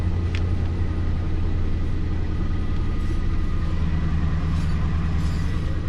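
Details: Lincoln MKT (titled 2005) at a deep, uneven, lumpy idle with occasional shaking. Misfire with timing issue on bank 2. Power balance test shows cylinder 5 not contributing at all, so one cylinder is dropping out.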